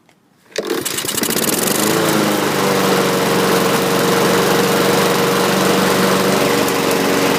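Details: Used 2015 Husqvarna rear-wheel-drive mower with side chute, recoil slow to rewind: pull start catches at once and settles into a steady, even buzz with no misses or knocks. Healthy normal running.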